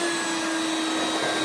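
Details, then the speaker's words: 1994 Hoover Turbopower 2 Autosense U2462 upright vacuum with an 800 W motor: steady motor whine and airflow hiss with no brush-roll thrum; the drive belt is broken, so the brush isn't turning and it isn't picking up. "well yeah the Bel is broken on it"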